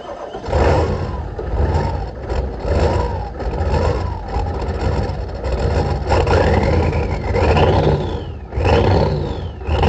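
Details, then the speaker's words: 1986 Ford F250 6.9 turbo diesel, 4-speed 4x4, first start with ether after milky, water-contaminated oil replaced, no coolant: deep heavy clatter, steady, no misses or knocks, faint whistle; runs fine, a little smoky. "holy cow she runs listen to it like i said though it ain't got cola so i can't run it for too long"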